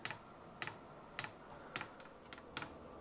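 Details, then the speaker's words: Vevor diesel air heater being repaired after it stopped working properly: after preheat, fan spinning up and sharp light ticks about every half second as fuel pump starts feeding fuel, white smoke outside; normal startup. "I can you can just hear the fan starting to turn up a little bit and that is the fuel pump which has now started to feed fuel into the system"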